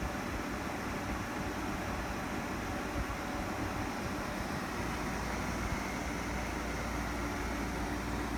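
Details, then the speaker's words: Window air conditioner, compressor just switched on: loud steady fan rush with a faint low compressor rumble underneath, about 67 decibels, slight vibration but no shaking or rattling; operating normally. "oddly enough the fan makes so much noise on this thing that you can't really hear the compressor over it we're still at 67 decibels so i mean there's a little bit of vibration i can you know hear it just a low frequency kind of compressor rumble but it um the fan noise is still the dominant noise"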